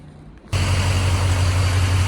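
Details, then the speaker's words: Ford Excursion start with oil purged beforehand: quiet, then the engine catches at once and settles into a steady, even low rumble with no misses or knocks. Fired up fine; a normal start and idle. "Fired up fine. I forgot to turn the camera on, but it's all good."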